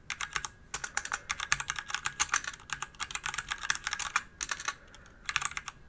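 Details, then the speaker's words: DIY DZ65RGB V2 hot-swap keyboard kit with Cherry Red linear switches and an aluminium body over 1 kg: quick, irregular, soft, even keystrokes with muted clack and no rattle; normal typing sound. "どうでしょうか赤軸独特のスコスコといった打ち心地がとても気持ち良いですね"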